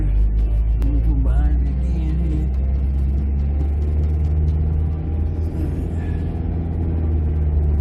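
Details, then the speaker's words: 2008 Jeep Compass at about 70 mph after replacing the front passenger-side wheel bearing: steady low road rumble and wind only, no hum, growl or rhythmic whir from the front wheels; new bearing running quiet and healthy. "all quiet up front so all right so I don't want to jinx myself but right now all the cheap products are running all quiet"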